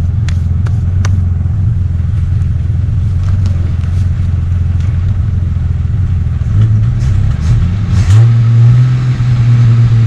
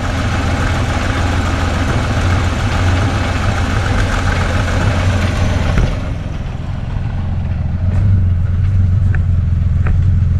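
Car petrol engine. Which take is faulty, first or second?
first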